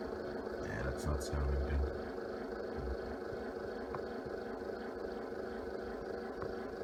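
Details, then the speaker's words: Very cold engine with block heater plugged in, running on two batteries: sluggish uneven starter cranking about four turns a second that never catches and drains them; owner says it needs a third battery. "oh yeah that killed it oh well I need three batteries in this thing"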